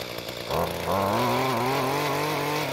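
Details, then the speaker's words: Mantis two-stroke tiller after fuel leak and no-start repair and carburetor L-screw adjustment, tilling hard dry dirt; buzzy engine revs and holds steady, clean pitch without bogging or sputtering; normal running under load. "Now, once the tines broke through the hard bit on the surface, it didn't jump around as much, and it seems to work pretty well."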